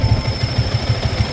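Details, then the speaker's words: Yamaha Sniper 150/155 at idle: thin steady high whistle over a pulsing idle from the worn water pump seal, impeller and impeller bearing; needs the repair kit so oil and coolant don't mix. "p naririnig niyo yan y sumisipol y Yan na yung ating water pump se so kailangan natin magawa yan para hindi maglaho maghalo yung langis"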